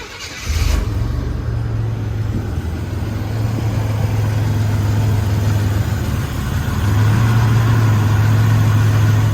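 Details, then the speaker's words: 1984-87 Buick turbo car during a TPS and IAC reset, idle raised from about 425 to about 550 rpm; low, even, steady idle with no hunting or surging, now responding properly. "Okay, it's starting to respond. That sounds right."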